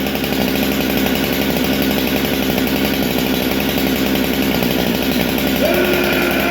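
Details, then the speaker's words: Husqvarna 395XP chainsaw after a rebuild: continuous, even two-stroke buzz holding steady speed without surging, sputtering or dropouts; normal running. "Oh, that sounds so fucking good."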